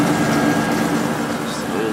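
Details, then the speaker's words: Whirlpool Accudry 40-pint dehumidifier, late-1990s or early-2000s, reciprocating compressor, on high speed, uses a lot of power but reliable: steady even hum with smooth airflow hiss; evaporator coil loops wet; normal running. "yeah it uses a lot of power but certainly is reliable"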